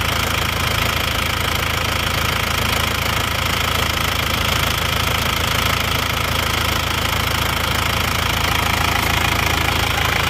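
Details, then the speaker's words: Isuzu Panther diesel, warm at 86°C, after new liners and piston rings fixed a compression leak that smoked at the oil filler cap and dipstick; loud, even clatter at steady idle with no misses or surging, dipstick tube now clean; normal idle. "ini adalah setelah diganti seker ganti r seer dan liner itu bunyinya seperti ini teman-teman suara mesinnya seperti [Musik] ini"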